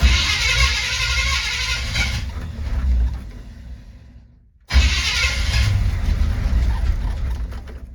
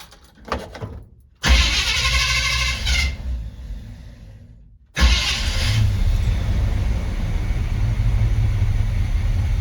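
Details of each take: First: 1970 Chevy C20 truck V8, little fuel in the tank, choke not hooked up: catches and revs unevenly, fades out and dies, then refires; hard starting, won't idle right away. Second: 1970 Chevy C20 V8 truck, low on fuel, not yet warmed up: cranks, catches briefly, then restarts and settles into a steady low rumble with an even beat, timing sounding right; normal running.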